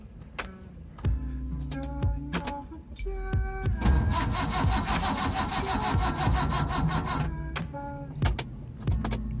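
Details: 1978 Honda Civic CVCC, first start attempt since purchase after cooling system and electrical work: repeated few-second bursts of steady starter cranking, engine never catches; cranks but won't start, cause unknown.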